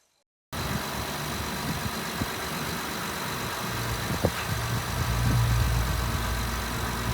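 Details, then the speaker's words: Honda V6 truck with 225,000 miles, oil recently changed, recorded under the open hood on raw camera microphone with no noise reduction: smooth, steady idle hum with no ticking or knocking; quiet, healthy engine. "I mean, it is still super in order, quiet, no tappy tappies and no knocky knockies engine, man. 225,000 miles."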